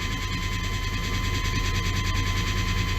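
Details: 1995 GMC/Chevy K1500 4x4, 5.7L TBI 350 small-block: engine running in gear with a steady uneven knock, a bit over two per second, under the idle rumble, gone in neutral; cause was a flexplate cracked all around the bolt pattern.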